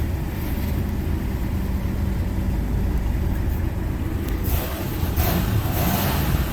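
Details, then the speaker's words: 1988 Buick LeSabre 3800 V6 after harmonic balancer replacement and crank position sensor gap set: smooth, even rev with no knock or clunk, the earlier drive-pulley clunking noise gone. "And we rev, you don't hear that noise that we were hearing before."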